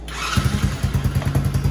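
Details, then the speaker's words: Original engine on a TAO 110cc ATV, jump-started: it fires right up, then settles into a soft, lazy, weak thump; it idles but won't throttle up or pull a rider, with only 50 psi compression; low compression, so the engine is being swapped. "So she fires right up and runs. See what it does there? It just ain't got enough poop in the shorts because it only has 50 pounds of compression."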